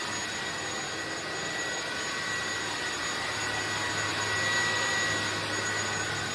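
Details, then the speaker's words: INSE V120 cordless vacuum on medium power at 40% battery: even steady whir with no surging or rattles, running normally; it has repeatedly dropped power by itself. "Okay, we're now at 40%. Power still sounds like it's running in medium, which is what I wanted."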